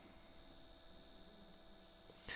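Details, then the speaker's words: Redmi Note 11 phone giving a faint constant low hum with a thin high tone after closing YouTube or a game; persists after update and cache clearing, only a reboot helps; cause unknown. "хрень полнейшая видите звук никуда не пропал и говорил ранее помогает только перезагрузка"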